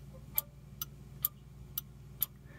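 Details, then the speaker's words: Sterling truck with Caterpillar 3306 diesel and intermittent Jake brakes: the idle position switch clicks crisply and evenly, about two a second, working normally; a loose wire on the switch was found as the cause. "so this is the idle position switch right here i can hear it clicking"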